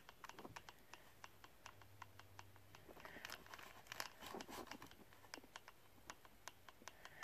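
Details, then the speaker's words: Savage big block: the drivetrain is rolled by hand with the spur gear mesh set slightly tight, giving sharp dry ticks several times a second. "one thing that I go by when I'm when I'm setting the mesh is a little a little too tight is better than too loose and they can hear that ticking"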